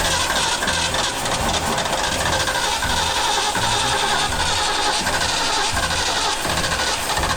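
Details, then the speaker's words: Old Bronco running after being refuelled: a loud, steady V8 rumble with an even beat and no knocks or ticks, with no exhaust leak heard. A healthy engine running smoothly. "Okay. That's good. Sounds really good. Yeah, I didn't hear one exhaust leak."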